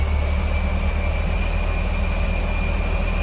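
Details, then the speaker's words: Supercharged Honda S2000, freshly tuned with an upgraded 255 fuel pump, warming up after start: smooth, even low idle with a faint steady high blower whine, no misses or hunting; stable, healthy warm-up idle. "She's running pretty good. Starts right up. Sideband. Warming up a little bit there."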